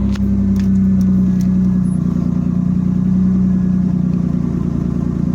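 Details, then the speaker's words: 1989 Chevy Camaro with bad ECM, fuel pump relay jumpered to ignition (VATS bypass), starts with no check engine light: smooth, even, low idle holding steady with no misses, ticks or knocks; running normally. "But you can see it's running. It's idling."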